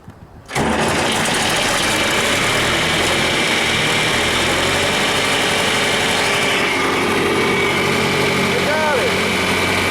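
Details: Worn-out John Deere 3020 diesel tractor after fuel bleeding: catches after a brief crank and settles into steady loud diesel clatter, so fuel is reaching the pump and injectors; normal start and idle.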